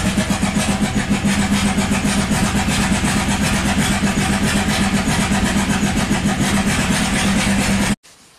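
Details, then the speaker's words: 1997 Buick Century 3.1 V6 with replaced plugs, wires, coils and ICM: uneven, choppy chuffing at full throttle that never builds revs, then dies. One or two cylinders fire, with no oil pressure suspected; severe misfire from collapsed lifters. "no it's running the same this is how it's running on one cylinder"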